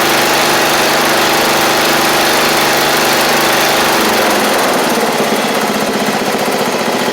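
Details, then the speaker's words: MTD Murray riding mower, about 7 years old, small single-cylinder engine running after fuel-flow check and solenoid work: loud, even steady beat, no misses or surging, slight settle partway; everything seems to work, normal running. "that's good seems like everything wants to work so that's good"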